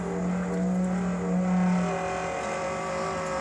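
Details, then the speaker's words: Radiant-heat boiler after a cold startup gives a loud, steady horn-like drone, a trumpet-like whine: thermal shock from too large an inlet-to-outlet temperature difference (about 135 supply versus 80–90 water); the noise went away as the differential fell. "That's what it sounded like non-stop because the water temperature from 135 to the water temperature was so great difference that we're at 80-90 degrees that the boiler just wasn't able to handle it."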